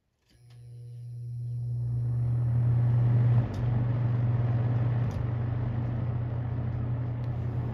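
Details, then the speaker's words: Restored ~1977 Superlectric 2083 fan spinning up to high: loud steady low buzz holds over the airflow, occurring only on high speed; cause not confirmed. "only does it on high I think okay that's weird it only does it on high okay yeah that's strange yep only High only on high does it make that sound that is so strange"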